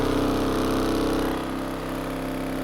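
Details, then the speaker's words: Vibratory pan apparatus, motor at about its top speed: steady high hum with firm low drone, smooth and even, no knocks; normal running at top speed. "the frequency that the video is captured at all and this is about as fast as the motor can go"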